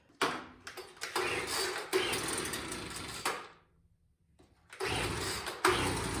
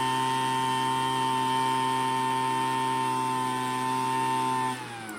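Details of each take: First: Craftsman two-stroke leaf blower that had sat unused, after priming the bulb: it catches after pulls, revs up unevenly for a few seconds, then dies. The carburetor needs adjustment. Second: Craftsman two-stroke leaf blower after carburetor low and high screws set by ear: steady even high-pitched buzz at full throttle without over-revving, dropping cleanly as throttle eases; normal high-speed running.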